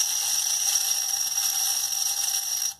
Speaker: lâmina de sutiã adora cair na máquina isso aqui quando vai ela vai lá pra bomba lá aí parece uma metralhadora